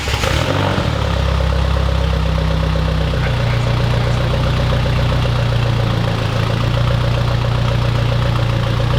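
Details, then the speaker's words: Mid-engine Mitsubishi Eclipse 4G63 restarted after timing/tensioner work, lumpy idle with faint irregular knock under exhaust rumble; owner pretty sure the knock is still there, source unclear (rod knock, lifter or timing belt considered). "pretty sure the knock's still there but we're going to take it for a drive"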